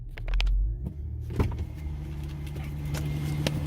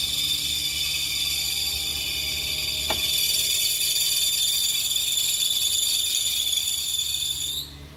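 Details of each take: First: 2003–2008 Infiniti FX35 3.5L V6, cold start after belt fix: a few clicks, then it catches and settles into a steady low idle with no startup belt squeal. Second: 2003–2008 Infiniti FX35 3.5L cold start: loud, piercing belt squeal holding steady for several seconds then cutting off abruptly; smooths out after initial seconds and absent when engine is warm; cold-start belt squeal.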